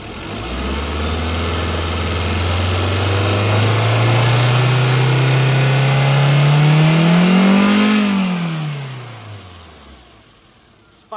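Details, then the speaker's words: Chevrolet Spark gasoline engine, previously overheated, after repair: free revving climbs smoothly in pitch then falls evenly to idle, earlier tak-tak knocking/detonation gone; normal revving. "Detonation आवाज तो नहीं है? आवाज नहीं है।"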